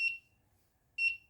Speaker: Now hopefully you can also hear that the buzzer is now buzzing. So we have an audio alert.